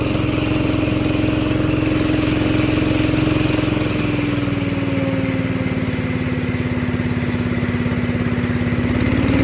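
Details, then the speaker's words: Little Wonder 13HP high-output blower engine after fitting a new plug (old plug fouled), choke on half throttle; even, steady engine note, no dinging, running smoothly. "try it one more time well it's not making the noise all right it's not making the noise so it's fixed"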